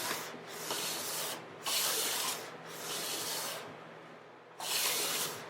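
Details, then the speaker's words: Hand plane on a guitar top-plate joint after hollowing the center, full-length passes: long, even shearing strokes show the blade contacting the whole length, hopefully a finished joint ready to glue. "And on that last pass, I could hear that the blade was actually in contact with the top the whole time."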